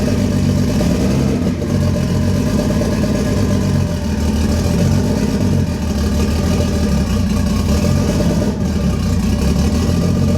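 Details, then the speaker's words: Lexus IS300 with 1JZ engine swap, first start after wiring harness work: uneven, lumpy running with a stumbling low beat, a misfire from a failed coil pack, later replaced. "all right guys that initial start that you heard is great but it was actually with a failed coil pack"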